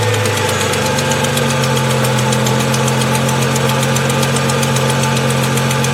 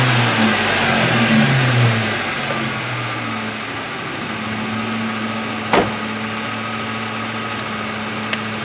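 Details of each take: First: High-mileage 2002 Ford Mustang 3.8 V6, cold start before oil change and Liqui-Moly flush: fast light ticking over steady idle, fades after about 30 seconds; owner suspects exhaust manifold leak, possibly valves. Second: High-mileage 2002 Ford Mustang 3.8 V6 after oil change and Liqui-Moly flush, tick gone after about 30 seconds: settled steady idle, even low hum; owner believes earlier tick is exhaust manifold gasket or hole.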